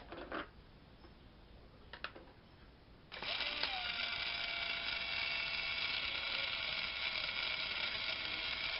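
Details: Windshield washer pump motor from a 2004 BMW X5 (E53), removed and bench-tested after freeing the rusty shaft: faint clicks then a steady, even high-pitched whir, motor runs freely; failures come from a leaking shaft seal.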